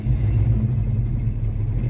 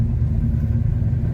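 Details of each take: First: Formerly seized Chevy 327 V8 (two stuck cylinders freed, new rings) idling in the car with the choke off, just over 30 psi oil pressure: steady, even low rumble with no knocks or misses; running smoothly. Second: Formerly seized Chevy 327 V8 warm after a drive, which restarted hot without trouble: steady deep rumble with an even beat, idling a bit fast and holding there.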